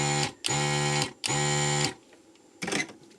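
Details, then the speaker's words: ZD-915 desoldering station after fan replacement and mods, back in the lab; three short buzzing suction pump bursts over a low hum, then a soft clack; much quieter now, suction cycles faster; normal suction pump operation. "and there it is much quieter now and the suction sounds faster"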